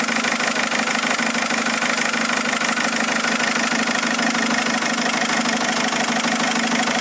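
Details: Mercedes A170 after replacing 3 injectors; steady idle with fast, even ticking knock over engine note, knock at idle, cause not pinned down.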